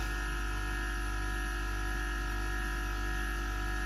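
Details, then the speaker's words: Gaahleri Apex Force ultra silent airbrush compressor cutting back in after about 3 minutes of spraying: soft steady low hum with faint even whine, no knocks; running quietly and normally. "So even when it does cut in, it's just silent, isn't it?"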